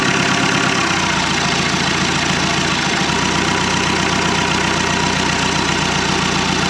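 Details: 1991 Land Rover Defender 90, Turner Engineering remanufactured 200TDI diesel, first start: loud uneven harsh clatter throughout at low idle; owner thinks idle is set a little low, and a little throttle smoothed it out; 50 psi oil pressure.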